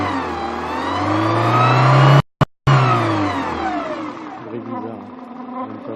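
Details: Peugeot 206 1.4i petrol, 2000/2001: engine revs up and back down with a strange thin turbo-like whistle that rises and falls with the revs; no warning lights and temperature normal at about 90°C; source not pinned down.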